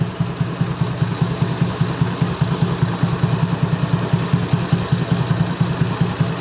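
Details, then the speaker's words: Honda Beat carburettor scooter, over 8 years old, with high fuel consumption; after fixing the auto choke and setting the idle: even, steady putter with no huffing or surging. Normal idle restored. "Nah ini sudah tidak terdengar lagi suara yang tadi ya, yang kos-kosan tadi. Ini suaranya sudah normal kembali ya."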